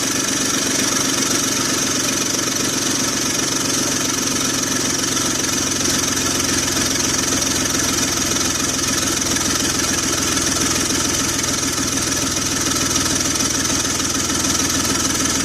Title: 2004 BMW X3 3.0L M54 hood view Exhaust Leak Noise!